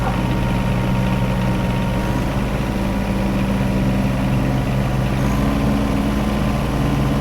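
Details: John Deere 1025R diesel tractor after replacing the main fuel filter under the floorboard, which caused its surging and stalling: settles into a smooth, even low idle with a steady drone, no misses or knocks; running normally.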